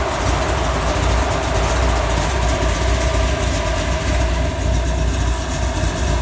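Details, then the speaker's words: Chassis-swap 4x4 with big cam (293/311 duration) and stock torque converter idling: deep uneven chopping idle with heavy rhythmic thumps; big cam and stock converter not happy together. "I don't know if you can hear it, but you see how that cam's thumping and chopping? Yeah. That cam and a stock torque converter are not happy together right now, and I'll tell you what it does."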